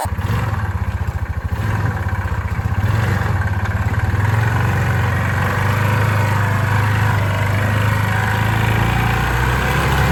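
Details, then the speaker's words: 2006 Yamaha Rhino 450 with thicker-weight oil added to soften knock: uneven single-cylinder idle about 220 beats a minute, dull low thump under each firing; rough running, owner suspects low-end knock, cause unknown. "That, uh, motor, it's rough. It sounds like it's got like a low-end knock or whatever. I don't know what it is."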